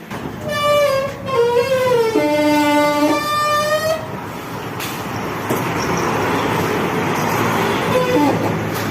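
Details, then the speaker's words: Roller gate the customer reported as very noisy: shifting metallic squeals for the first few seconds, then a rough grinding rumble as the shutter travels, an abnormally noisy door before service. "ඒ දොරේ සෑහෙන සද්ද වැඩි කියලා තමයි customer කිව්වේ. ඉතින් අපි ගිහිල්ලා බලනකොටත් ඉතින් ඇත්තටම වෙන සද්දයක් එනවා."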